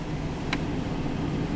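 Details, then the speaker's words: 1999 Chevrolet Tahoe V8, warm at operating temperature: steady, even low rumble with one brief click, sounding normal although it recently clanged and banged with low oil pressure; normal warm idle. "oh listen to this thing sounds perfectly fine and here's the other catch no it'll probably change on me all pressure and it's up to operating temp"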